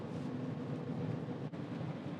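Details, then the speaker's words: 2025 Gen 2 Rivian R1S Dual Max pack with all-terrain tires, cruising on a cold snowy morning with no steering vibration. A steady low hum and no engine note; all-terrain tire road drone. "but I can just hear the Drone of those allterrain tires so if something like that bothers you you may want to go with a Road tire set"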